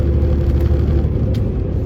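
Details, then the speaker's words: Semi truck (automatic) in 12th gear under load, speed-limited, 2.6 axle ratio: deep heavy low rumble with coarse buzz at low revs; engine lugging, geared too high, wasting fuel. "There it is in the 12th gear. There's that buzzing noise again."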